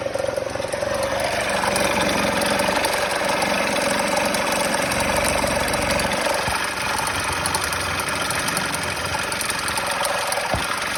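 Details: Kymco Super 8 50cc two-stroke scooter after fitting a derestricted Naraku variator with 8 g rollers: uneven mechanical rattle and knock over the buzzy exhaust; owner unsure of the cause, it bogs and the noise worsens when decelerating.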